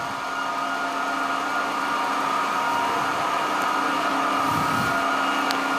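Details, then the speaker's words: SAQ Grimeton 1924 Alexanderson alternator VLF transmitter near 17.2 kHz, cooling fan number one started with star-delta control, air inlet opened, hissing air blowing into the high-power relays; steady even electric hum settling as the fan reaches speed; normal fan run-up. "So the fan is also started with a delta y control. And now he also open the inlet of the air. And now we can hear the hissing noise from the air blowing into the relays, the high power relays."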